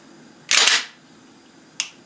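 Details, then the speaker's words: Gen 4 Glock 19 after a polishing trigger job and a parts change: a trigger pull, then one sharp, crisp click on release with no dull clunk, a positive, healthy reset; a weak clunk would suggest adjusting the connector. "it's the trigger's working I still got a a positive reset"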